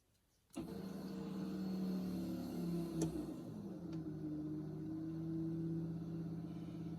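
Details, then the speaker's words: Fuel pump priming on a G3 Hemi-swapped Pace Car after new Teflon/PTFE AN6 fuel lines, filter/regulator and aftermarket rails; steady, even hum holding without surging as pressure builds to about 60 psi during leak check; normal priming. "And also checking for leak because now this is finally all plugged up and under pressure. So, I have to leave it on for a little while and check for leaks."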